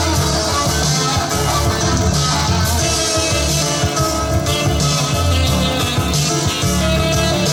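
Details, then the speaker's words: Sony TC854 4-channel reel-to-reel damaged in a fall: music playback wavers in pitch with a lot of wow, as the bent hub drags and tape tension is felt; the owner thinks the hub needs replacing and tension might be adjustable. "I think there's drag there um it sounds like a a lot of wow in there doesn't it oh yeah I can feel the tension might might be able to adjust that"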